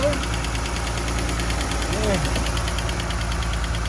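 Quick, regular ticking over a smooth V6 idle, keeping pace with engine speed; a noisy valve lifter.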